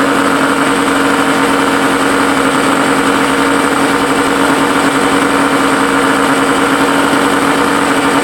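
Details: Suzuki SS20 Cervo small engine at idle: loud, raspy sound with a harsh buzzing edge that never settles, from an exhaust leak.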